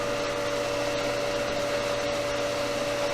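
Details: Pool pump motor after capacitor replacement, which fixed a hum where the motor tried to start but would not engage: steady even motor hum with constant tone, no buzzing or stalling; runs normally.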